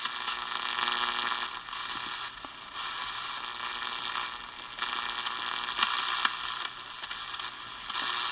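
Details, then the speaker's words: Small battery radio, previously completely dead, after repairing a broken main negative battery wire at the on-off switch: steady hissing crackle with faint buzzy hum, no station received; soldering iron interference was blamed, source not confirmed. "Still not picking up a station there. Obviously it's picking up something, but I got my soldering iron off, so that was causing a lot of problem."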